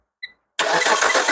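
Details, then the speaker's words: Car started by applying power directly to the fuel pump and starter wires with the relay removed, using a test pen: short chirp, then the engine catches at once and runs with an even roar; normal cranking and start. "So, kita just bagi pergi pil pump, pergi starter. Kita tengok hidup yang ini."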